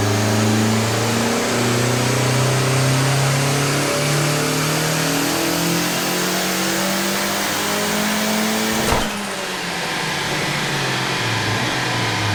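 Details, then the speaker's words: Rebuilt BT 1.8T 20v Mk2 with GTX2867 turbo and 270/257 cams on E85/pump tune: uneven loping idle with steady chop and low hum, pitch briefly shifting; normal lumpy cam idle, not a fault. "Just want to get that cam idle for you guys."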